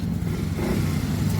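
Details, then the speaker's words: Yamaha Mio i 125 scooter after repair, pulling away: low, even hum with no rattles or ticking; now so quiet that almost only the injector is heard, very smooth and more aggressive. "Tahimik na yan, boy. Halos ang naririnig na lang yung injector na lang ang naririnig yan, oh. Smooth. Smooth na smooth."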